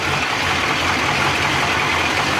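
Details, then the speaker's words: SS Trailblazer 6.0 LS2 after a backyard rebuild (new crank, bearings, Trick Flow cam), with a Magnaflow exhaust: steady, even idle with a smooth exhaust note and no knocks or misses, a normal healthy V8 idle. "oh yeah not too bad for a backyard rebuild [Music] sounds good yeah there it is guys"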